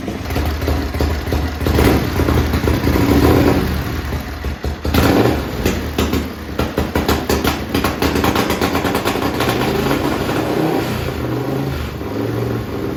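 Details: Racing lawn mower twin-cylinder engine on methanol, cold and hard to start: loud lumpy idle with sharp throttle blips to high revs, about 9,400–9,500 rpm; answers crisply, runs clean.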